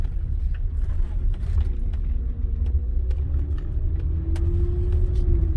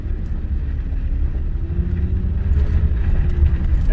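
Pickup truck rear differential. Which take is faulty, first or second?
first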